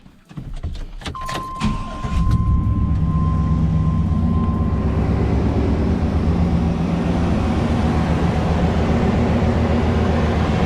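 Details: 1988-98 Chevrolet Silverado 5.7L V8 just after water pump replacement for a drip and 50/50 coolant refill: brief crank, then catches and settles into a steady even idle with no misses or knocks; sounds healthy.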